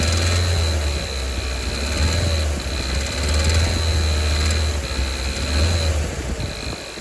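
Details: 2019 Kia Soul 1.6L GDI, 6-speed manual, 55,000 miles, revved from low 2k to about 3k rpm: rapid ticking over engine drone, louder as rpm rises; owner suspects rod knock, possibly cylinder 3, not confirmed.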